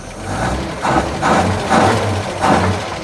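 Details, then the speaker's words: 1941 Chevy, cold, first start on dirty-rebuilt Carter W-1 carburetor: five quick throttle blips rising and falling crisply with no stumble; accelerator pump on previous carb thought faulty; heavy smoke of unknown cause. "Well, it's 10 times better than before. I better shut it off. Okay. Well, that sounds a heck of a lot better than it did. It never had that snap to it before, and I think the accelerator pump was shot in the other carb."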